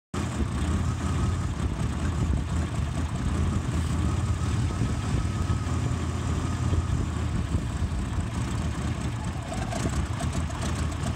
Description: Went old school with a vacuum gauge and some carb clean. Idles up when carb clean is sprayed around throttle shaft seals. Seals have failed and created a vacuum leak.